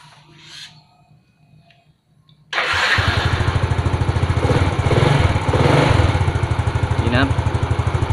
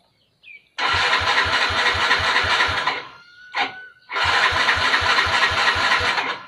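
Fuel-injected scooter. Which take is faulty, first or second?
second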